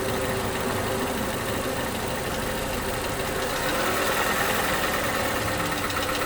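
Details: 2011 Toyota Camry, 2AR-FE engine, after replacing lifters and rocker arms: light, fast ticking over the engine, busier as revs climb to about 1500 with AC off and lingering as throttle drops; sticking lifter suspected, engine tends to stall.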